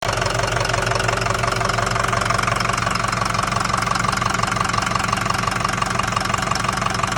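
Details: 2005 Ford F350 6.0 Powerstroke diesel at idle: loud idle with a steady hard tapping knock, roughly three per second; bad engine noise, cause undetermined.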